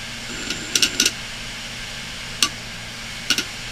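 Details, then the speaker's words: Failing desktop hard drive running with cover off, head parked over the disc: irregular bursts of sharp clicks with pauses over a faint spin hum as the heads strike the damaged platter. "now let's see what happens when we actually ATT the disc that disc is destroyed"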